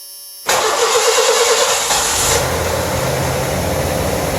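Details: 1986 Ford Mustang hatchback after heater core replacement, charged previously dead battery, starting fluid sprayed: brief crank, catches with a rush, settles into even steady idle; normal start, everything sounds good.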